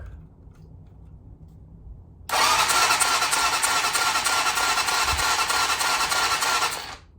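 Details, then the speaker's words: 2007 Hawk 250 Chinese dirt bike, crank-no-start spark test with plug grounded on cylinder: starter churns steadily about three times a second, never fires; no spark seen, ignition coil suspected next. "So it is not sparking. So there likely that is our issue."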